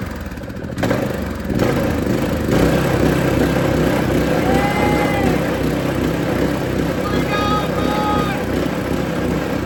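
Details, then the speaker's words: Small go-kart single-cylinder engine bought cheap off Marketplace, first run after refit with fresh fuel and oil checked: steady buzz that picks up cleanly with throttle, no misses or knocks; runs strong and healthy. "Oh yeah, we got a ripper."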